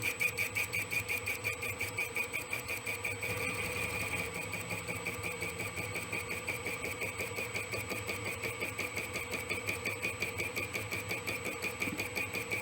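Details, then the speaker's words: Boring head truing an egg-shaped clutch housing for a Lewis shaper: a steady ringing cutter note with a regular tick about three times a second, the tool popping in two spots as it hits only the high spots, an interrupted cut. "a little bit more of a hit you can hear it popping in two spots"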